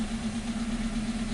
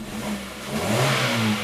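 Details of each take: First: 2015 Hyundai Accent with P0335 (tach reading zero, stalling, loss of power) and P2188: idle wavers and pulses unevenly like a miss, but misfire counters show none. Rough idle from a failing crankshaft position sensor. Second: 2015 Hyundai Accent with P0335 crank sensor and P2188 codes, dead tachometer, hard start and stalling: starts right up, engine catches and revs cleanly in a quick throttle blip, smooth and even with no stumble or misfire, then cuts off; normal revving.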